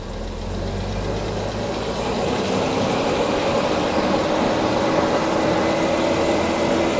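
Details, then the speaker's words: 1975 Jaguar XJ6 coupe (XJC), California spec, after long sitting with probably couple-year-old fuel, cold and warming up: slightly uneven idle with faint irregular stumble, quiet tappets, 60 psi oil pressure; running rich and misfiring slightly, needs a tune, engine sound. "It's running a bit too rich, misfiring a little bit. But the engine sounds very, very sound."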